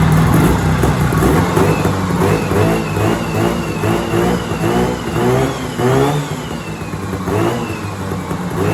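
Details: 1970s Sno-Pony snowmobile, 340 twin-cylinder two-stroke, first run after sitting 20–30 years with a rusty tank: buzzing along with repeated throttle blips, rising and falling cleanly without knocks; runs fine, engine warm.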